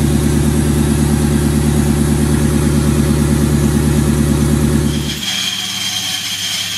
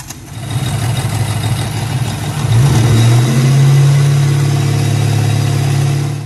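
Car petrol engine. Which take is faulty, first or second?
second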